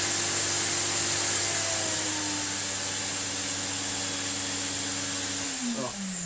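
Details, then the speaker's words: Restored Electrolux Z2060 Electronic vacuum cleaner at full 1400 W boost, held by the hose button. A high steady motor whine holds about five seconds, then slides down in pitch as power drops back. Normal, healthy motor. "yeah you only get the 1400 watts whilst you are holding down this button on the hose which is a bit of a faff"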